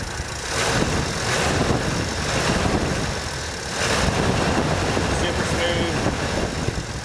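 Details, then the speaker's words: 1985 Dodge Ram D100, 32k original miles, revived after 10 years in a barn with new carb, plugs, fluids and filters plus Seafoam: low even idle burble near the exhaust, no misses, ticks or knocks; smooth sewing-machine idle. "let me get to the exhaust using my body as a microphone you can't even hear it running it's like a sewing machine"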